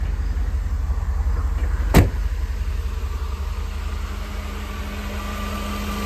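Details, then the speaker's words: 1988 Mercedes-Benz 560 SL V8, 51,705 miles, recorded outside at the exhaust soon after a cold start on a warm evening: smooth, steady low idle rumble with even exhaust note, no ticking, knocking or misses; fuel pump audible at rear; normal idle. "So we're gonna go ahead, go back outside, listen to the engine purr, listen to the exhaust."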